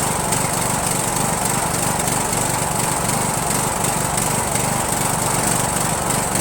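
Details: Rebuilt Briggs & Stratton 17.5HP engine (replaced two broken balancer counterweight links) repowering a Yard Machines lawn tractor, first start on choke, no belt pulley: choppy, stumbling uneven running, no clear backfire pop; owner suspects carburetor.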